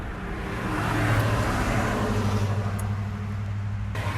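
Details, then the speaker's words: 1997 Honda CR-V after a pressure-washed engine left water shorting the spark plugs and coils. The engine holds a low, uneven idle with an irregular stumbling lope; it is not sounding good. Rough running, misfire suspected. "okay it's not sounding good uh huh"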